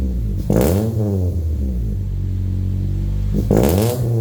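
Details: Honda Prelude no-start, third try after re-fitting and tightening the battery terminals: the engine catches and revs up cleanly twice, then settles into a steady, even run. It is running healthy now; fan noise and key-in-ignition beeping in background.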